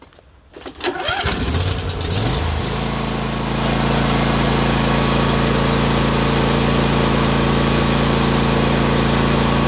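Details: John Deere D130 mower after ignition coil replacement: cranks briefly, catches, then settles into a steady even twin-cylinder idle around four beats a second; runs clean and smooth.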